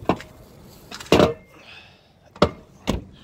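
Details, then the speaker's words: 2013 GMC 2500 pickup, pre-purchase inspection: driver's door swung several times gives sharp clunks with a brief scrape as it catches partway; the hinge binds, possibly bent, misaligned or needing lubrication. "these drivers door if you can see does have an issue with the hinge you could hear that it does get stuck"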